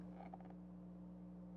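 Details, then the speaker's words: Dayton Audio SPA500DSP Class D plate amplifier newly installed on a sub box: steady, quiet low-pitched electrical hum from the drivers with no music signal; amplifier idle hum, cause unclear. "There's some hum. There's some hum coming from the drivers when there's no music signal going to it. It's humming"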